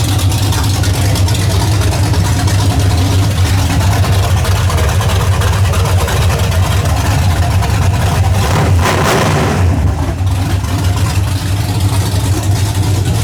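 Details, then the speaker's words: 1981 Camaro after top-end swap, open headers, no exhaust, timing and carburetor not yet adjusted: loud, choppy V8 idle with lumpy cam beat holding steady without stumbling; engine running well. "I'll lean in here and fire it up one more time. But I ain't got the exhaust on it, it's still open headers. But so far, sounds pretty good."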